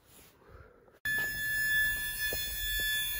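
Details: Mazda RX-7 project car, cold running on base tune: after a quiet stretch a steady high-pitched dash warning buzzer comes on and holds; owner suspects door switches and possibly low coolant, cause unconfirmed.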